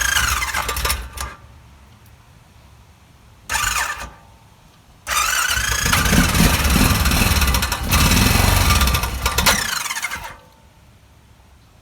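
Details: 2006 Honda Rincon ATV, a small single-cylinder engine, cranks and catches in bursts with a quick light ticking about four per second; not piston slap but the cam chain tensioner at its max position.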